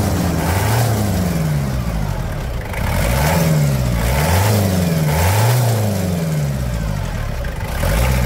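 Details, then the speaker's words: 1997 Toyota Hilux SW4, 1KZ-T 8-valve turbo diesel, after engine service, start and revving: repeated throttle blips, pitch rising and falling cleanly, no knocks or misfires; normal, healthy revving. "Que turrada assustadora, senhoras e senhores. Hã? Que turrada."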